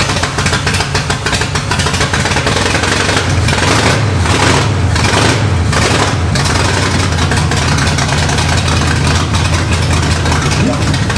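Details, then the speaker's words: Barn-found 1969 Pontiac GTO Judge V8 first running: rough idle with uneven popping and spitting as it picks up cylinders; misfire, new plugs and wires expected to help. "It runs very very consistently. Yeah, you can hear it popping and spitting and picking up cylinders."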